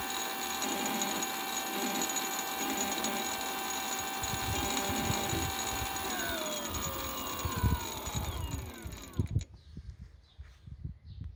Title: Bbs02 strange noise 2